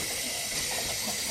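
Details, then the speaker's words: Mazda RX-7 turbo boost leak test with the engine off: a loud steady high hiss of escaping pressurised air from poor welds on the intake pipe, plus leaks at the manifold and a leaking eBay blow-off valve. "yeah it's a big leak so just a quick test shows me my wildest shit and there's holes all over the place"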